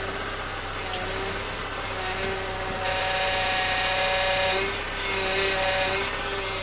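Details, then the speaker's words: Honda engine idling while the steering wheel is turned: a thin power steering pump whine that rises and falls with steering; owner knows the cause and is replacing the pump's rubber seals himself. "Now I’ll demonstrate the sound to you. Now my engine is running at the moment when I start to scroll the steering wheel"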